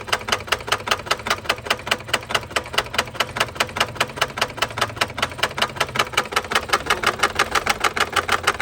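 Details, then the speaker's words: 2021 MG HS 1.5 with a loud engine noise: a sharp, even clatter of four or five ticks a second over idle. Check light is on with intake camshaft, sensor and cylinder 3 misfire codes; the intake camshaft was found broken. "Engine का बहुत ज्यादा show हो रहा है और इसका check light भी on है मीटर में और जो एरर है वह आपके सामने है।"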